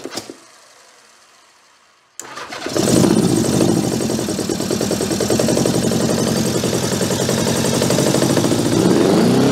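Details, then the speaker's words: 1982 Honda GL1100 Goldwing, stored over 12 years, first start after starter repair: cranks, pauses, then fires into a lumpy, hunting, stumbling idle. Gummed carburetors, throttles assisted only partly open, running on a couple of cylinders. "Now the carburetors are so gummed up, we can't open the throttles. Got a couple of cylinders anyway. Means the rest of them will probably come around."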